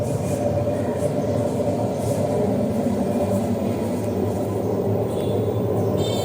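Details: LG 10 kg direct-drive front-load washer: a loud, steady, gritty rumble from the spinning drum that the customer says carries far; the noise persists with the motor removed, pointing to worn drum bearings.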